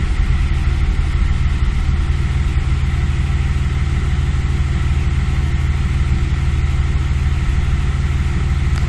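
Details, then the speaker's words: 2003 Audi A4 3.0L V6 with 207,000 miles, misfire codes 301–306 plus EVAP codes and an erratic temperature gauge. Deep, uneven, periodic idle with a lumpy pulse about twice a second that shakes the car. Rough idle with misfires. "I give it some gas and that shaking is not me I have a pretty steady hand but the car is idling really rough and it's like periodic now"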